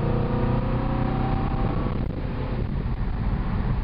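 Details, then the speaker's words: Carbureted Ford 302 V8 wagon during power-mode carburetor calibration: low, full rumble pulling evenly under throttle, smooth with no lumps, stumbles or flat spots; healthy acceleration. "How's it feel? Feels nice. It's smooth. No lumps or bumps."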